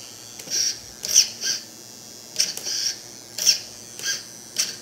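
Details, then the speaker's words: Redcat Tornado S30 buggy with a new EXI D227F digital steering servo replacing the stock one: short high-pitched buzzing whines in bursts as the steering sweeps. Noisy but faster and stronger; works normally. "As you see, it is noisy, but who really cares as long as it works, right? Not bad."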